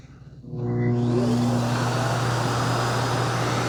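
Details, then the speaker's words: Dreame X60 Max Ultra robot vacuum docking for auto-empty after an extreme carpet test with long hair and debris. The suction motor spins to a fairly quiet roar with no bin-emptying thunk: weak auto-empty suction, with a clogged dustbin outlet. "Oh, I didn't hear that thunk. I don't know. It's 50-50."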